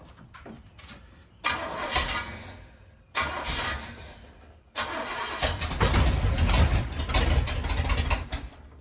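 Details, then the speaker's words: Rat bus after intake gasket change, timing set by ear: repeated long cranking bursts chugging about three times a second, never catching; starts only run ~3 seconds then die, no fuel delivery; owner suspects choke. "I can get it to start and it'll run for about 3 seconds and then just shut off."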